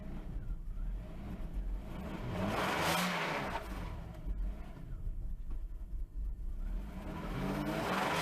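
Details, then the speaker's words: Mercedes-Benz W140 S600 V12 idles unassisted, revs swelling and falling back every few seconds; hunting, surging idle. Owner suspects mass air flow or a fuel problem; cause unconfirmed. "okay so right now I'm going to let it die nope went right to idle there we go see it just kicks a little bit"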